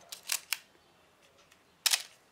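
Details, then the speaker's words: Canon AE-1 film camera after oiling its mechanism with sewing machine oil: crisp, dry shutter and advance clicks with the earlier squeak gone. "Now you can listen to the sound here. That's the difference. This is after oiling the camera."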